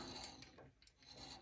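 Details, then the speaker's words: MK2 thread-cutting jig on a lathe, cutting beech: faint steady rasping hiss as the spinning cutter tip just rubs the wood while being set flush via the click adjuster, before threading at about 3000 rpm. "GC vous entendez c'est vraiment le le frottement du bout de la fraise"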